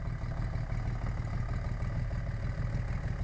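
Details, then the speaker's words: 1980 Honda CBX 1000 six with Wiseco 1150cc big bore, ported head, '79 cams and carbs, Dynajet stage 3, 6-into-1 pipe: even idle at 500 rpm, soft steady purr, barely any valve tick after carb sync and valve adjustment. "foreign just purrs what is that that's at 500 RPM can hear that barely ticking away"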